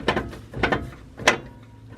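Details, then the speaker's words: 1996 Ford Bronco with faulty factory automatic front hubs that engage on their own: sharp clicking bursts about every two-thirds of a second as the wheel is spun; the hub is half-engaged and ratcheting, heard while driving too. "What's happening is that hub's halfway engaged and you're getting that ratcheting sound"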